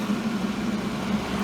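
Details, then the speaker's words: Millermatic 141 welder cooling fan after a shim was added and cooling vents were bent open with pliers: steady low buzz with a wavering rough edge; fan vibration or rubbing persists, only a tad better. "I think this shim work is going to do it may break free over time sounds a little better but not much just a tad bit better"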